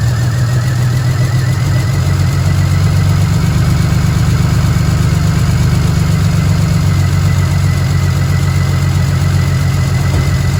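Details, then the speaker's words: BMW 335i, bought as non-running, just after its first start: heavy, uneven idle that stumbles and surges instead of settling. Rough running, though owner judges the engine good. "okay that is now running not the best running i mean not the best but it's running right"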